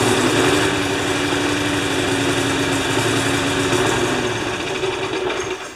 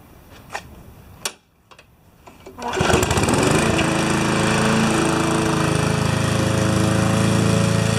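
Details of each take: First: Rough running on a Briggs & Stratton single-cylinder mower engine with a Pulsa Prime carburettor. It chugs at a fast, uneven beat with a wavering pitch and does not hold a clean governed speed. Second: Normal running under load on a Briggs & Stratton mower engine with a Pulsa Prime carburettor. During a test cut it fires after a few clicks and holds a strong, steady beat, pulling evenly through the grass.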